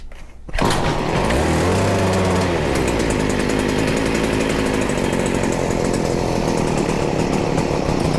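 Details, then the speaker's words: Stihl FS40C trimmer during carburetor adjustment, on choke: fires and races with a high, wavering, slightly stumbling note, no smoke. Owner suspects the carb needs cleaning; still running rough. "definitely not quite there yet do a little bit more still is having a hard time we very well might have to clean this carb it's getting better we are so close"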